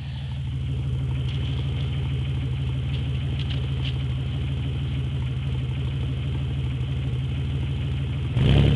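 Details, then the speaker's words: Chevrolet Beretta with 3100 V6, fully warmed up, days after a main seal replacement with new harmonic balancer and serpentine belt: smooth, even idle with only a faint tick, then a quick throttle blip. Normal warm idle and rev, sounds as it used to. "oh yeah she's nice and warmed up to her her and now not much ticking at all let's give her a quick Riv she doesn't sound any different than it used to"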